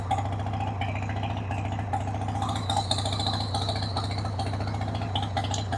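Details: 1993 Harley-Davidson Sportster 883 Evo V-twin, sat about 15 years, started with starting spray on a dead battery: catches and holds a loping, slightly uneven idle with steady thump of firing pulses; runs on its own, not dumping oil.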